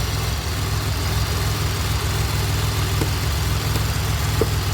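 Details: 2007 Pontiac Grand Prix GT after fuse box swap for a crank-no-start issue, main belt shredded earlier: smooth steady idle with an even low hum, no stalling or surging; idling normally.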